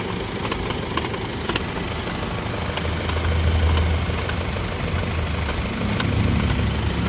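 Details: Mercedes-Benz W167 GLE350de hybrid coupe with low mileage, while driving: rough continuous gritty grinding that rises and falls with speed; the transfer case has failed. Removing its electric motor stops the noise temporarily.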